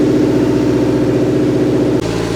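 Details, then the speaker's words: Subaru Forester at cold idle just after startup, owner says the noise fades once driven: rhythmic puffing like an exhaust leak, heard under the vehicle and seemingly near the exhaust manifold, getting quieter as it warms. Source unconfirmed. "All right. Yeah, you can definitely hear clear exhaust leak. Sounds like maybe from under the vehicle."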